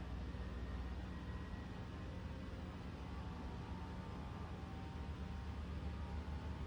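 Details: 2024 Toyota RAV4 SE in EV mode, fully charged, cold day, heater on: loud steady low whir with faint fixed tone from under left side of hood, no clear knocking; owner suspects heat pump blades hitting something.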